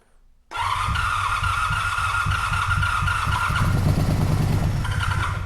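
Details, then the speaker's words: 1985 Honda VF700 Interceptor V4, first start, with carb cleaner and oil pressure confirmed: catches after a brief crank into a fast, fairly even putter, all four cylinders firing. "Looks like we fired on all four there. Maybe a little more."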